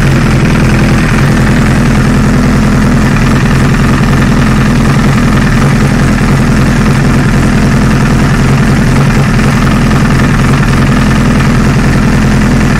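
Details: 2008 Honda CBR1000RR at idle: a loud, uneven clack-clack rattle at roughly three per second that vanishes under load in 1st gear. The engine was opened and nothing abnormal was found; the owner suspects the clutch basket, not confirmed.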